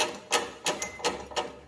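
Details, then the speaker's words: Motorcycle riding: sharp clicks about three a second from the front end, worn parts with play knocking side to side under rider weight over bumps; previous part swaps didn't fix it. "tá vendo balançando essa folga na hora que você tá andando com a moto seu peso em cima e passa nos buraco fica jogando ele para o lado"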